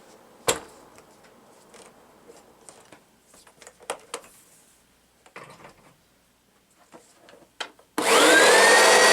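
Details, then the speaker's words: Oreck XL Classic vacuum before brush roll replacement: loud, harsh high whine over the airflow; noise absent with brush roll or belt removed, so a failing brush roll bearing rather than the motor bearing is suspected. "okay so that to me sounds like a spoiling bearing I don't think that it's the motor bearing because it doesn't make the noise uh with the brush roll or with the belt removed so I suspect it's got to be the brush roll bearing"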